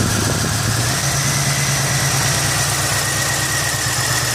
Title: 1989 Buick Century 3.3L won't start, runs then quits, rough poor idle, bad faulty fuel injector.